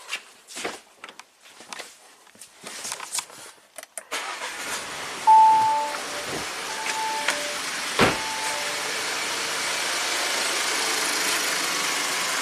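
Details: 2017 Audi Q7 2.0 turbo with intermittent P0106 MAP code: handling noise, then starter catches and engine settles into a steady, even idle; nothing unusual heard.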